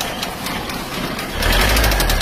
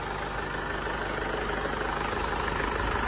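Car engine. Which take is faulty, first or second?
first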